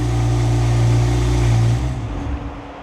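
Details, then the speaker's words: BMW M4 race car started after fuel pump priming clicks stop: a loud, deep, steady engine note settles in right after start-up, then fades; a healthy race engine idling. "Oh yeah, that's loud."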